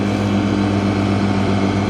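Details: 1960s mini boat with a roughly 9.9 hp engine mounted in front, running in the water under load after the air-fuel mixture was adjusted: a steady, even drone with no misses or knocks, quieter and running clean. The cooling pump seems slightly short of water.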